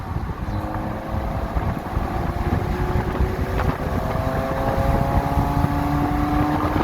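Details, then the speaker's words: Copart-rebuilt BMW Z3 test drive without a hood, floored after dropping a gear or two: engine tones climb steadily under wind rush with clean intake roar, no misses or knocks; car runs well, though check engine light still unexplained. "Because I guess you can kind of hear it, which is cool. When you get on it with the intake noise."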